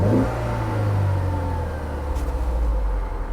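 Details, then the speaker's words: Auction car at IAA Oklahoma City, under 100,000 miles, CV axle ripped off, transmission in neutral: smooth even drone rising and settling with throttle, no knocks or rattles; engine seems to run well. "it seems to run well"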